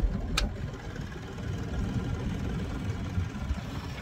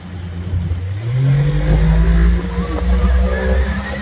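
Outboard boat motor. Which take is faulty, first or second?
first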